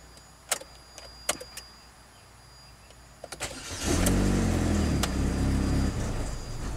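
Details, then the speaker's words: 2010 Chevy HHR 2.2L Ecotec with eight codes including MAF performance/circuit low, cam position, MAP, misfire and idle speed low: a few clicks, engine catches, runs roughly two seconds, then dies; start-stall later traced to mass airflow sensor. "interesting symptoms starts and stalls within a few seconds 2010 chevy hhr with a 2.2 liter ecotec it sounds like a fuel starvation problem"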